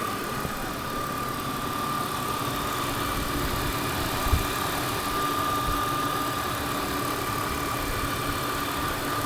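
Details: BMW E46 M52TU six-cylinder idling after DISA valve replacement: quiet, smooth idle with a faint steady whir and no hiss or stumble; normal idle.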